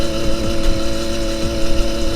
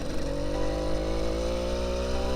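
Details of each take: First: Gas-motorized delivery bicycle, two-stroke, after cutting the exhaust pipe and changing the spark plug: flat buzzing drone that never picks up and holds back under throttle. Engine bogging; owner suspects lost piston compression. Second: Motorized bicycle that had been limiting power, after adjustments and cutting the exhaust pipe: a small two-stroke buzzing up through the revs with a steady pitch climb, pulling cleanly under throttle without stumbling; normal acceleration.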